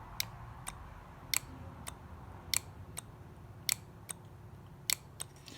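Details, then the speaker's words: John Deere 310D backhoe forward/reverse/neutral reverser solenoid, on the bench: two electromagnets shuttle the oil valve when energised. Crisp metallic clicks in pairs about every 1.25 seconds in a quiet room show normal clean shifting. In the machine, reverse sounded more energetic than forward. "and so if i energize the coils you can see the valve is in fact moving"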